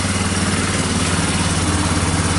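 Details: Yamaha Bear Tracker 250 (YTM250) shaft-drive ATV single-cylinder at idle on first start after a new carburetor and intake were fitted, running on a jump pack with choke pushed in; steady, even putter with no misses or knocks, a normal clean idle.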